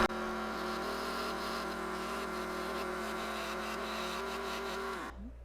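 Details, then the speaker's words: Woodturning lathe spinning a small dry Pacific Northwest Myrtle bowl very slowly while removing the bottom: steady motor hum with rough scraping rasp, then winding down; noise from the cloth catching on the back of the workpiece. "Just barely spinning. All that noise is coming from the cloth and the catching it here on the back."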